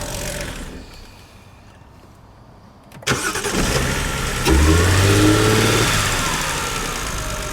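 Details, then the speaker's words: BMW 330i E46, written-off non-runner bought from auction, first start: hesitant crank, catches, flares on throttle blips, then lumpy uneven idle with some smoke; missing sensor and misfire suspected, not confirmed. "oh Miss fast runs it does run not quite sure how good yet smoking a bit"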